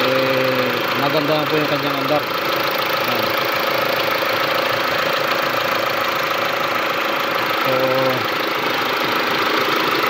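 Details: 2013 Mitsubishi L200 diesel, P0335 crank angle sensor no-start case: even, steady idle with consistent clatter, no misses or hunting; engine running normally.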